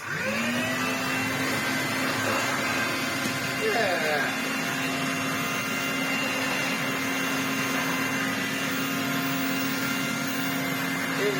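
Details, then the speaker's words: Restored Electrolux Z504 vacuum with motor mostly sorted, running on a stiff rug; even steady motor hum, no rattles or surging; struggles on stiff rug but runs and sounds good. "I think it just doesn't like these really stiff rugs it needs something with a pile and it will be perfectly happy but it runs it sounds good"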